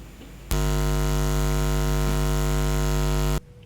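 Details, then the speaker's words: Condenser mic cabled into a camera connected via HDMI to a monitor, with the monitor plugged into a poorly grounded studio outlet: loud, steady low hum with a buzzy edge that switches on abruptly; ground loop hum. "karena ground di tempat studi aku ini kurang bagus kalian akan lihat hasilnya ke odio keren lihat ini aku ocol oke Nanti kalian dengar ya"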